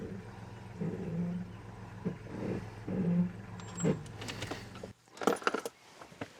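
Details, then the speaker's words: 2000 Jeep Grand Cherokee, 211,000 miles, used for towing, throwing P0171 code that appears after warm-up; cold engine just started, low even hum with no misses or stumbles under handling jingle: normal cold idle. "I want you guys to listen to it start from a cold start. Hopefully the battery's not dead, eh? Fires up, runs really smooth."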